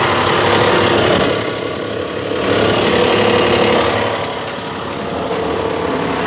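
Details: Mitsubishi Pajero 4 3.0, heard on arrival at parking: steady idle with fairly regular light knock about four per second over the engine note; engine knock, cause not yet clear.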